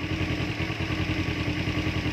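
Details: Kawasaki 250 (Z250/Ninja 250 type) motorcycle idling; check-engine light and code cleared. Steady, even idle with smooth low beat, no misses, rattles or surging. Normal idle.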